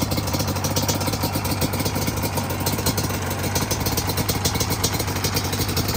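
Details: Customer bike after repairs, idle and air screws freshly set, engine warm but not hot: steady, even idle with a regular beat and no hunting or misses; sounds well tuned.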